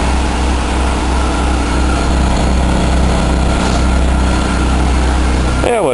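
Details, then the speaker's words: Buick Park Avenue idling cold after the muffler was replaced: a steady, low, quiet idle with no rattle, knock or exhaust blow. The exhaust is smoky, which the owner wonders may be due to the cold. Normal idle. "yeah that ain't loud at all nice and quiet pretty smoggy though I wonder if it's just cuz it's cold or"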